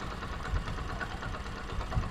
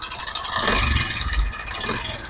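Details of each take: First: Honda CD 70 motorcycle at idle after a noisy-engine repair using a spring, with the oil level checked. The small single putters evenly with a soft, steady thump and no chain rattle or ticking; healthy engine. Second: Honda CD 70 engine: a loud, uneven clattering rattle over a lumpy idle that rises with blips, from a slack timing chain with a weak tensioner spring.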